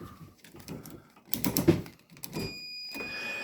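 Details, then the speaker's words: Frigidaire Gallery microwave that trips the breaker: a multimeter on the door interlock switch beeps steady continuity with the door open and goes silent when it closes, which is normal switch behaviour. "you hear it's got continuity which means it's saying that it's open right now which is correct When I close it it goes off saying that the door is closed"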